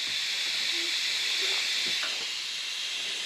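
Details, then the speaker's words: Honda intake manifold pressure-tested at about 10 psi, engine not running. A steady high, airy hiss: the leak is between the aluminum plate and the gasket, not from the plate or any manifold seam. "Thought gasket's leaking, too. But it's not leaking from the plate. It's leaking from the gasket."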